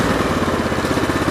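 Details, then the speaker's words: Cub Cadet 1884 mower before the coil was replaced: a lumpy, uneven idle with a skipping exhaust beat, a dead-cylinder miss from a failed ignition coil. "All righty, guys. Here's a good before. You can definitely hear the dead cylinder now."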